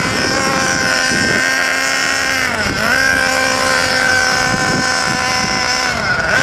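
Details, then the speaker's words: New Nanda Racing NB-5 RC car with SH .21 nitro engine during break-in, tank 2, run very rich in slow figure-8 circles with blue exhaust smoke: buzzy high-pitched drone sagging and picking up through turns, slightly burbly and uneven; normal rich break-in running. "So you can see how rich it's actually running because of all that blue exhaust smoke."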